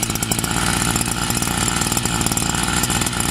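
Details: Newly bought brush cutter (scythe) engine, small two-stroke, low on fuel, slow to start when cold. Buzzes at a fast, steady, even beat with no misses or surging: normal idle.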